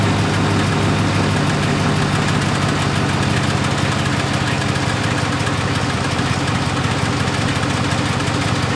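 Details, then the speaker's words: 2017 Silverado 5.3L with 88k miles, louder on cold startups near the driver side fender well; light fast ticking like a soft lifter tick over a steady V8 idle; found by stethoscope to be the brake vacuum pump, replaced. "all it has is a pretty annoying tick sound sounds like lifter tick just a little bit lighter"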